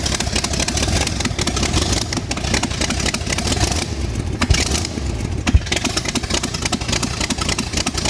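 V8 catches, takes a couple of blips, then settles into a steady, even burble with no knocking or ticking. Sounds healthy.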